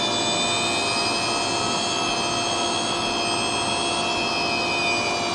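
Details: Hard disk drive with a finger run across the square chip on its circuit board: steady, piercing high whine with no knocks as the spindle motor overspeeds, which can make the head bang.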